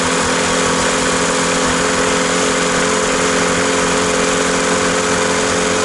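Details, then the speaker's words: Old VW MK2 diesel, first start after fitting new return lines: loud, steady diesel clatter at one speed with no rise; the accelerator does nothing, and the engine idles only off the lift pump. "what did we learn here we learned that our accelerator this guy was literally doing nothing this is our our our accelerator and it was literally idling which you heard just now was idling off of the lift pump itself"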